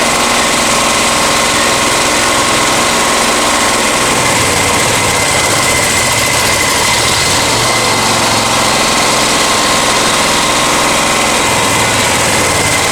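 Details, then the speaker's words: Honda EX1000 generator after a carburetor cleaning, running without its air filter: a loud, busy drone with an uneven, labouring note that never settles. The engine wants to run but struggles; cause suspected, not confirmed. "That's the thing, it wants to run. And that's the biggest thing, is it wants to. And it's trying. Blast on now. I really don't It is struggling, but it is doing it."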